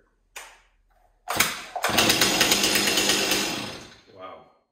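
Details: Stihl 026 chainsaw rebuilt with an MS260 piston and cylinder and a decompression lever after a scored cylinder: one quick pull and it fires straight up, revving high and clean for two seconds before winding down; easy-starting, healthy saw.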